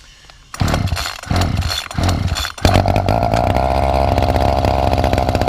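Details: Two-stroke hedge trimmer with a replacement carburetor that didn't fit right, with a loose bolt found afterwards: fires in a few ragged bursts, then settles into a buzzy, slightly wavering run, uneven running; carburetor suspected to need tuning.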